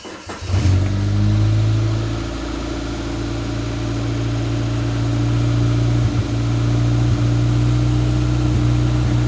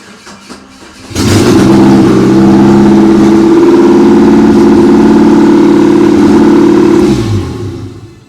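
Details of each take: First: 1993 Geo Tracker 8V 1.6L Suzuki engine, first start after head gasket, valve adjustment and starter replacement: fires quickly into a loud idle that is mostly even but still stumbles slightly; rough idle. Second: 1993 Geo Tracker 1.6L 8V Suzuki engine after starter, water pump and head gasket replacement and valve adjustment: catches after a brief crank and runs steadily about six seconds before shutoff; sounds healthy, repair successful.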